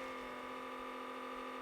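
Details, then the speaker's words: Cheap secondhand Panasonic VHS camcorder recording with counter moving: faint constant whir holding steady pitch; mechanism unusually noisy, cause unclear. "so maybe the cameras just noisy I don't know you got me I've used a lot of cameras over the years I've never run into one that was making noise like this"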